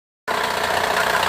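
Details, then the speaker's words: Honda J35 V6 at idle: steady dull regular knock that mimics internal engine failure but comes from a failed hydraulic timing belt tensioner, located low on the engine. "Is your Honda V6 speaking this sound? A lot of places will tell you it needs a motor. I'm here to tell you today that it's just a timing belt tensioner located down here."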